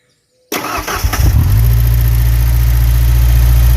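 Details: 1991 Ford Ranger 2.3 liter manual, first start after engine rebuild: cranks, catches, then settles into a loud deep raw droning rumble; exhaust very loud because no muffler fitted.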